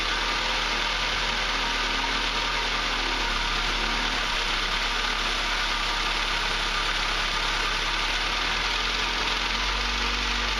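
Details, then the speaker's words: 2006 Ford Focus, cold idle at startup: coarse grumbling growl under a steady hiss, rough rather than knocking, blamed on worn motor mounts, which were replaced; owner notes it lessens when warm. "Another thing with motor mounts you'll hear is, while you're going to start it up, you hear a lot of grumbling, growling from the motor."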